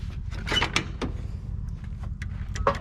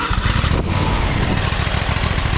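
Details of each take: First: John Deere X500 Kawasaki twin after cylinder head replacement (valve guides came out, bent pushrods): starter churns steadily about 3.5 pulses/sec, no catch even with brake cleaner sprayed in; cranks but won't start, owner suspects bad gas. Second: John Deere X500 Kawasaki twin after cylinder head replacement (valve guide failure), choke held halfway, owner suspects very bad gas: even steady putter, firm pulses, firing on both cylinders, no misses; normal healthy running.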